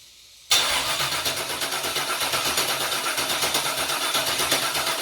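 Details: Junkyard GM LS 5.3 V8 on an engine stand cranked with injectors and coil packs unplugged to check oil pressure; even, steady cranking at about four beats a second with no scraping, turning over freely, and oil pressure confirmed.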